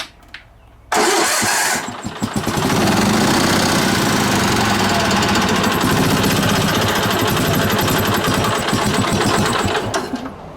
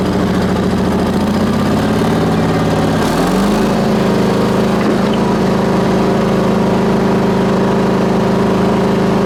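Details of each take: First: Onan BF-MS 16hp mower engine with DD11 carb, which seems to run warm: it catches and runs rough with uneven sputtering and surging, then dies. Owner suspects the carb-mounted pulse fuel pump is failing and starving it, since no fuel is visible in the filter. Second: Onan BF-MS 16hp with DD11 carb, after the pulse fuel pump was rebuilt and the carb adjusted: eases down to a lower speed and holds a smooth, even drone without misses or surging. Ran fine half an hour, slightly low on oil.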